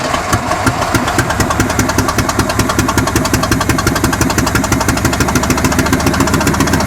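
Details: Abandoned 1963 Chevrolet C-20 stepside, long sitting, hot-wired, fuel poured in the carburetor bowl, no fan or coolant, driver's-side exhaust leak: rough, loud first start with a fast, even internal knock; cause unknown.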